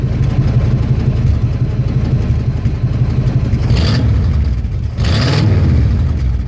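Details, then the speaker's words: 1982 Ford F150, carbureted, glass-pack exhaust into Y-pipe, cold winter start: deep lumpy low rumble with two rev blips, sounds soggy. Owner says it still runs a little rich and carburetor needs further adjusting. "I still need to tune the car barrier a little bit because when you started up it's still kind of like it's running a little bit rich so I need to adjust the carburetor again a little bit"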